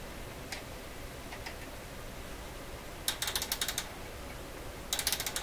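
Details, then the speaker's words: Heathkit SB104A transceiver coil adjustment: slug backed up too far in its tube and jammed, so the adjustment tool pops and slips inside the slug without turning it. Two bursts of rapid sharp clicks in a quiet room. "See, it sounds like it's moving. But I think that's the tool popping inside the slug."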